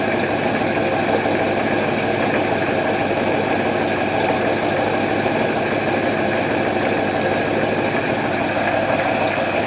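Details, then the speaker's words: 1968 Ford Mustang coupe, off the road 15 years, carburetor with working choke, warming up at idle after recommissioning; smooth even rumble, no misses, stumbles or knocks, doesn't smell rich; carburetor set right, runs clean. "see what does it sound like out here actually sounds good doesn't smell rich yeah i think we're sitting right where we need to sit"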